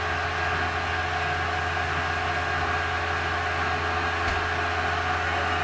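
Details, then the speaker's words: VW Thing Eberspacher BN4 gasoline heater after restoration, shut off with fuel pump stopped: rumbling of combustion fades away, leaving steady even blower hum cooling the chamber; normal fan-only cool-down. "You can hear the rumbling going away, which is the fire inside of the combustion chamber. Rumbling's completely gone. Fire should be out. Now it's just cooling it off."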